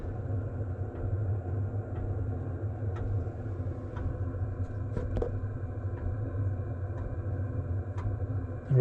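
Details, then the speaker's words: Cheap Chinese diesel heater installed in 2006 Nissan Frontier, quieted: low steady burner rumble with soft pump tick about once a second, about 55 dB, 20°C inside vs about 30°F outside, hot air from vents; normal running. "55 decibels which isn't too bad some nice hot air coming out of the vents"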